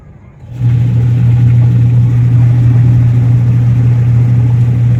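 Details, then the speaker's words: Washing machine with a newly fitted replacement 150 W drive motor and 10 µF capacitor: loud, steady low hum with no rise or fall; motor running noisily. "Okay na guys aan motor natin yan masyadong maingay guys yan guys Bumili na lang"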